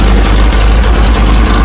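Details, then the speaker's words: 1980 Triumph TR7 stainless exhaust after resting a while, outlet blocked to expose leak: loud steady idle with a sharp hissing fizz pulsing each exhaust beat; exhaust leak at the box connection, box needs to come off. "It's fizzing back there, so that sender box needs to come off."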